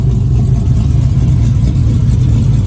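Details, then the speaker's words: 1959 Chevy Apache, LS 5.3 V8, first real start: deep, steady, even idle rumble with no misses, taps or knocks; aluminum fuel tank underneath; sounds tight and healthy. "pretty tight man sounds good too"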